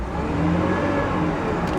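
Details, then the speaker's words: 2003 Hyundai Sonata at about 146,000 miles, long-sitting auction car with no coolant: short throttle blip that rises and falls cleanly, with no knock, rattle or misfire; engine sounds healthy, normal rev. "yeah engine sounds good let's crank on this air conditioner real quick"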